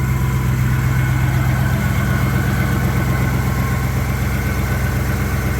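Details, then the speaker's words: 1961 Buick Skylark V8 idling after engine work fixed oil pressure problems, still on old fouled spark plugs: even steady low burble, no ticks, knocks or stumbles; quiet, smooth, healthy idle. "Also, the oil pressure issue is fixed and the engine's super quiet. I didn't even change the spark plugs yet or get rid of these ugly Excel wires, but it is pretty smooth even with the old spark plugs in that had really been fuel valved."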